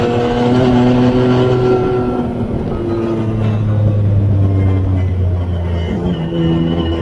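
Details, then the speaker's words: Newly rebuilt engine, once smoky from excess build oil, pulled hard to the limiter: the note drops at each shift and pulls cleanly again, smooth and strong; normal high-rpm running. "i'm gonna bounce it off the rev limiter all the way up to third or fourth gear going up this hill and just see what it does and it seems absolutely"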